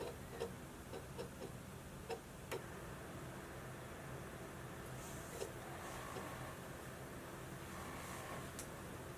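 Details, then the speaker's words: Modified 60GB PS3 fitted with a 19-blade fan instead of the stock 15-blade and an updated power supply: a steady fan hiss with scattered sharp ticks as the disc drive reads periodically and noisily. "now that we're back to the ps3 you're seeing disc operation happening periodically and that can get very noisy"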